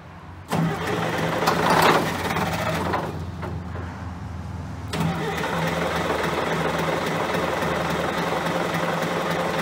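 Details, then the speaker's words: John Deere 770A motor grader diesel, sat five or six years, injector lines loosened to bleed air: starter turns engine at steady chug about 3.5 turns a second without catching; no start from air in fuel lines. "I ran out of time yesterday tried to get this thing started so we're gonna go jump right back where we were trying to get all the air blood out of the fuel lines up by the injectors"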